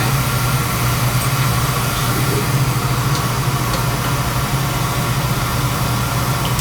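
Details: Oil burner gives a steady even roar with a low hum, no surging or rumble; firing normally. Draw assembly is suspected set too far in.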